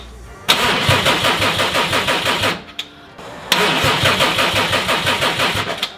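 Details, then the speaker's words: Subaru STI with Haltech Elite 2500 ECU, first start attempt: two bursts of regular cranking that never fire; rpm signal, air and fuel are present but no spark. "we know it's getting air we can smell the fuel so we're pretty confident it's getting fuel it's just this it's not getting spot well not that but the spark"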